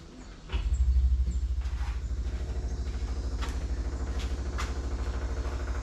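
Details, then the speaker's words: 1963 Corvair, key on before first start, after resetting a breaker to restore 12 V: steady loud pumping thump about three beats a second; the electric fuel pump works, though fuel then leaks, possibly flooding. "I hear it pumping it's loud I hear it I smell gas okay I think that's probably good"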